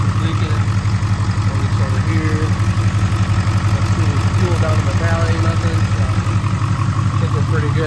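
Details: 2022 Ford 6.7 Powerstroke diesel idling right after installing an S&S DCR high-pressure fuel pump in place of the CP4: deep, even clatter, regular beat near three per second, no misses or knocks.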